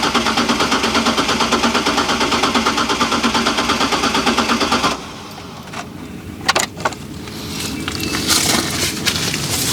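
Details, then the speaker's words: Trailblazer that ran when parked, sat 5 years (catalytic converter suspected): fuel pump audibly running with power confirmed at relay pin 87, starter cranks steadily about five seconds without catching, then quiet clicks; crank no start, relay probably not the cause. "so even with the fuel pump running which i can hear it i don't know if you can hear it it does not run so it's probably not the relay"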